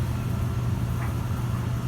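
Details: Panda PAN760SF 3.75 cu ft 120 V dryer with a warranty replacement motor (the original grated): a steady, even low hum from the motor and drum with no grating or scraping; it sounds healthy.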